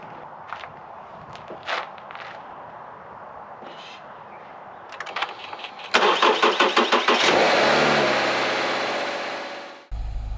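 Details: Subaru Crosstrek after swapping an Antigravity lithium battery for a Deka lead-acid battery: light clicks, quick even cranking, clean catch into smooth run; alternator duty and voltage holding steady.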